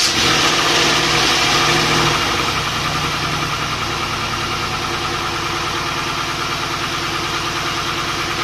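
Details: Volvo 240GLE with an LS2 V8 swap on first start after reinstalling the engine: idle with a regular uneven lope about three beats a second, a dead cylinder. The number 8 coil had been swapped to number 2; pulling that plug changed nothing, touching it changed revs, so the owner suspects that plug.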